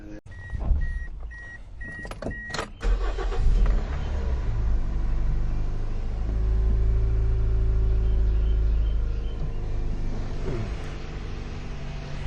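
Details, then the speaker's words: Toyota Echo after a valve cover gasket and ignition coil change, a cracked coil suspected of causing a misfire: chime beeps, a short crank, then a quick catch into a smooth, even idle with no check engine light. "okay fire it up no problem no check engine light or anything like that I think we're good to go easy peasy"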